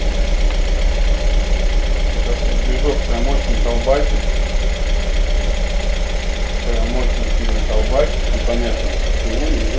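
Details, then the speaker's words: Audi TT, self-rebuilt engine at first start: fast, loose ticking rides over the cold idle and almost hides the engine; noisy hydraulic lifters drowning out other noises, no other abnormal sounds heard yet. "пока что я вроде бы посторонних шумов таких прям не слышу только компенсаторы все заглушают"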